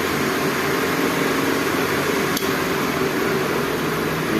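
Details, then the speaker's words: DC pedestal fan that ran on only one speed, after rewiring the speed selector connections, on setting 1 at full speed: steady, even whoosh with a constant hum, no rattle or scraping. Normal running. "तो viewers, अभी इसको check कर देते हैं। ये 1 पे full speed पे अभी चल"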